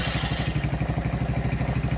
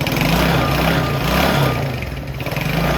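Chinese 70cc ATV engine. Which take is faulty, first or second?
second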